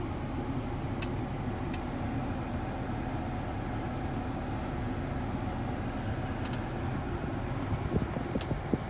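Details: Volvo XC90 after blower fan replacement with a used 2006 S60 unit: just a steady soft rush of cold air from the vents, no chirp or squeak; the previous chirping is gone, normal blower fan operation.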